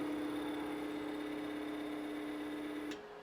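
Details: AC-35 motor on a Curtis 1238 96V 550A controller during a throttle characterization test after fixing the swapped encoder direction setting: clean, even whine at one pitch for about three seconds, then a sharp cutoff; motor runs smoothly.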